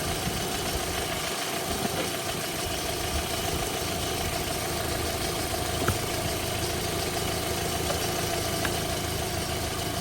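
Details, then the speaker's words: 2008 VW Golf Plus 1.6 MPI petrol, 208,000 km, one owner, at idle: steady even hum, no misfires, knocks, smoke or breather blow-by; healthy smooth-running engine. "Мотор працює тихо рівно не димить не троїть не сапунить"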